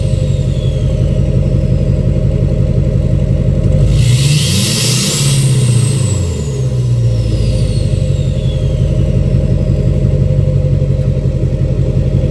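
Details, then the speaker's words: 2006 Chevy Silverado LBZ Duramax diesel, revved in neutral with new 5-inch straight pipe, flow-through muffler and DSP5 tune; steady idle blips up and down, thin whistle climbing and falling each rev; normal turbo spool. "I'm going to do some neutral revs right now. I'm going to rev it up in neutral so you can hear the turbo spool up."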